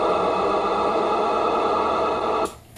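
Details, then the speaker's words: Destroyer AB-biased amplifier with a fan run off an LM7812 12 V regulator fitted without capacitance; steady buzzy hiss with fixed whining tones through the radio speaker via the coax, gone when the amp shuts off. Regulator oscillation interference. "you're basically hearing the fan the fan's motor is uh causing interference with the radio through the coax"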